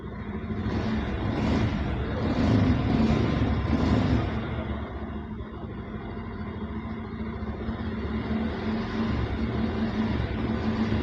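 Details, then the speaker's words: Bajaj Pulsar 150 BS6 with an idle-off and low-pickup complaint, after MAP sensor fixed (now reading about 14–15 inHg on scanner): revs rise briefly with throttle, then settle to a steady, even idle without hunting or stalling. "இப்போ நமக்கு map sensor வேலை செய்யுது. Idling கரெக்டாக ஒரே ஸ்டேபிளாக இருக்குது."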